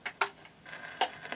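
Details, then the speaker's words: 1967 Ferguson 3022 record player set to 45 rpm, switched from manual to auto. Sharp mechanical clacks as the changer trips and drops the first record, crisp and free. The autochanger is cycling normally. "So we'll start it to manual, that starts the platter running, and then we just select auto, and it should drop the first record."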